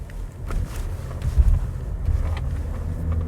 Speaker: You want to purposely go over some bumps to see. Actually, I'm going to go over this again. A few more bumps to see. This sounds almost perfect.